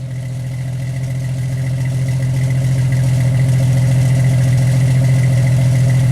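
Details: 1991 Jeep Wrangler YJ running after a cat-back exhaust replacement (new muffler, tailpipe and clamps replaced a holed system). A steady, even engine note slowly builds with no rattles, puffing leaks or ticking; exhaust tight and healthy, no more exhaust fumes.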